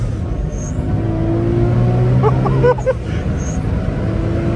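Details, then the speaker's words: Nissan R34 GT-R on the road: a steady low tyre drone holds level with road speed, with no knocks or grinding. Normal tyre hum. "Arkadaşlar şimdi lastikler olunca Oo diye uğultu ses geliyor tamam Normal yani"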